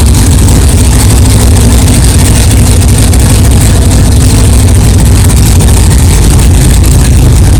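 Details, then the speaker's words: 1964 Chevelle 383 stroker V8, first fire-up after 8-month build, fresh power steering pump and carburetor, 11° timing, 63 lb pressure, not yet warmed up: deep loud steady burble with even lope, no knocking or clatter; healthy idle. "wow thank God it runs it runs good sounds good no problems no clanging"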